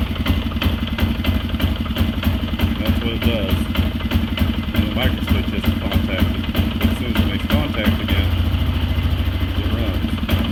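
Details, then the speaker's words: Polaris Sportsman 500, previously backfiring through the exhaust at idle, after repairing the bent ETC micro switch bracket: even, steady single-cylinder idle with no pops or backfires; now runs right. "everything is fine and runs great"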